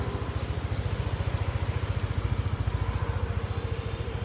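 Steady, even single-cylinder idle pulsing about three and a half times a second with no knocks or misses; scooter idling healthy.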